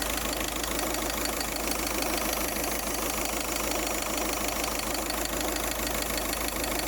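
Constant airy hiss sits over a steady idle, not changing with any rhythm; the source of the hiss isn't clear from the sound alone.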